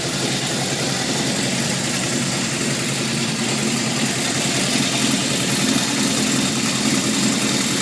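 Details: 1978 Honda CB750F inline-four at idle: a constant metallic rattle deep in the engine since it shut off from low oil pressure, with metal shavings in the oil pan; crankshaft bearings suspected, not confirmed.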